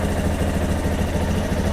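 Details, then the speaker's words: Yamaha Lander 250 (XTZ 250) single-cylinder at idle: steady thump with low pulsing rumble; an odd intermittent engine noise comes and goes then stops, running normally again with 10W40 oil and no smoke; cause unknown. "Aí o motorzinho faz esse barulho,"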